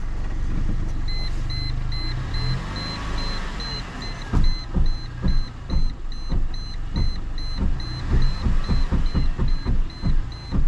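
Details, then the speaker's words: Mercedes that hit a large pothole at night: heavy thuds about twice a second with a chime beeping as the wheel turns at full left steering lock; owner suspects a bent rim. Wheel knocking from bent rim. "Вот это ребят вывели какой долбежка Может я просто диск уже кривой ребят слушайте"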